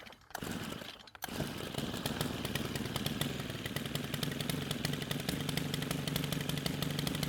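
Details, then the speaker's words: Stihl pole pruner stored for years with fuel left in it: fires and runs a fast uneven high idle with rough popping, then dies the moment the trigger is squeezed; owner believes the stale fuel damaged the carburetor (hardened diaphragm). "So the moment I squeeze the trigger, it takes the carb off a high idle and it stops."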